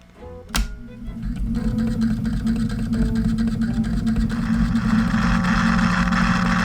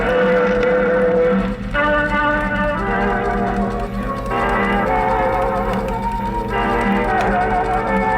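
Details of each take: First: 1947 Silvertone wire recorder/phono/radio, before recapping: playing a found music wire gives muffled, smeared music under heavy low hum, barely intelligible; head can read, weak garbled playback, recapping expected to help. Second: 1947 Silvertone radio/phonograph/wire recorder, wire recorder playback after three days of repair completing the B+ circuit: clear, full-volume music with steady tone and no hum, dropouts or wow.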